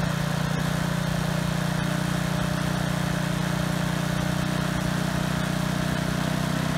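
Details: Husky HU80709A power washer engine, single-speed, running after the pump was removed and the carburetor cleaned to cure a no-start: steady, even hum with no misses or surging; runs cleanly now.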